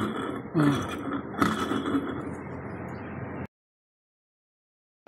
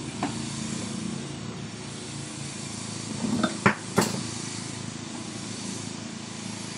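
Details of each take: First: Carrier remote-control window-type air conditioner that would not run, fan motor removed: rough gritty rumble, faint whine and uneven knocks from rusted, broken bearings; both bearings to be replaced. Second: Carrier window-type remote-control air conditioner, compressor wired directly to its own plug: steady, smooth low hum with a couple of handling knocks; compressor runs hot and frosts up, so it is okay.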